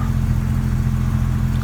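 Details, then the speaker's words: 1999 Jeep Cherokee XJ 4.0 inline-six on 60,000-mile-old plugs and ignition parts, before replacement, near but slightly below operating temperature, idling about 800–825 rpm: smooth, even low hum, no knocks, ticks or stumbles; runs great, normal idle. "Idling at about 800, I guess, RPMs. 825, something like that."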